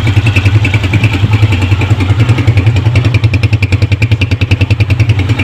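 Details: Honda motorcycle after the repair: even, steady single-cylinder putter at about three and a half beats a second at idle, no knocks or rattles; previous rattle gone.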